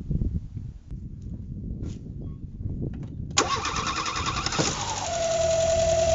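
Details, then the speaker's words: Renault 4 wreck restarted for the first time: engine idles with a steady high whistle over it; a serious intake air leak is suspected, not yet located, and the mixture screw was opened 2.5 turns. "Ce bruit de sifflet là, qu'est-ce que c'est? Je sais pas d'où ça vient."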